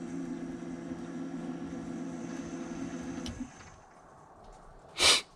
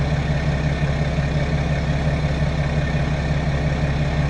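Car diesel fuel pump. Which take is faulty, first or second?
first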